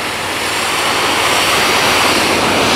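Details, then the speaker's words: HotJet II trailer-mounted jetter with burner switched on to run heat, hose reels live; loud, steady blowtorch-like roar with no sputter or pulsing, burning so clean no fumes are visible; normal burner operation. "You can hear it running. That's burning so clean, you can't even see the fumes."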